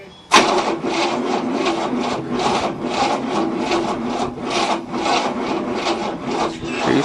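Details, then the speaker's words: 1967 Cadillac, not started in about 30 years, on a second battery with old fuel: starter turns the engine over sluggishly at about two turns a second and never catches; plenty of spark but the battery can't crank it fast enough, jumper cables smoking. "oh yeah plenty of spark it's just not cranking fast enough to start"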